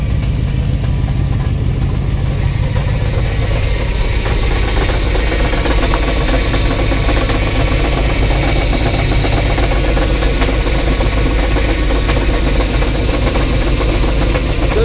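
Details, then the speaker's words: 1984 box truck at its first start in years, running on 15-year-old fuel and no oil pressure gauge. Rough, uneven idle with an irregular knock of about two per second; the owner says it is not the known exhaust leak tick and suspects a flywheel or torque converter, unconfirmed. "it's got a little knocking sound it has an exhaust leak right here so it's gonna have a gonna have a loud tick but uh what I'm hearing doesn't sound like an exhaust leak tick"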